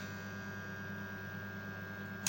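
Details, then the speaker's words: Electrical contactor coil (A1/A2) tested on single-phase supply from a 13 amp socket: steady mains hum, then one crisp clack as it pulls in with no buzzing or chatter after; closes cleanly, contactor working. "are you hearing that contact once you hear that contact it's not expected to to vibrate after contacting"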